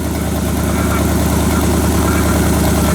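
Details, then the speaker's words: 1978 Chevy Silverado 20 pickup V8, bought with a seized engine, now warming at idle with a little exhaust smoke; uneven ticking clatter, roughly three per second, from the front accessory drive, suspected water pump or AC compressor, unconfirmed. "like it's coming from the water pump or the AC compressor don't know what that is yet but we'll figure it out"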